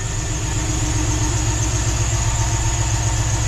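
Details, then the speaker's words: NBS Chevy stepside truck just after flashing a revised tune with HP Tuners: steady, even idle with smooth low rumble and no stumbles, no longer choppy; a squeaky belt remains. "holy cow listen how much listen how much smoother it's idling now listen to that"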